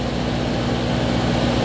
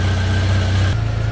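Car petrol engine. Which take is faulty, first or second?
first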